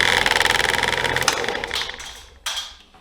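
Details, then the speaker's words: HVAC blower motor test with several nuts of about 13 mm and 10 mm zip-tied at one spot on the wheel: heavy rhythmic thumping about three beats a second, slowing as it winds down, then a rattle as a nut flies off; severe wheel imbalance. "That go round, we actually lost one of the nuts. So I'm not sure if I just had a weak zip tie or what, but I'm gonna get it back in there. Now you saw how crazy this blower motor started flopping around."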